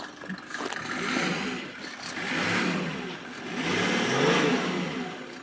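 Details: Mercedes W124 300D diesel nearing 600,000 km, given two or three quick free revs, each settling back; a faint turbo-like whistle rides the revs. The car "whistles a bit", cause unclear.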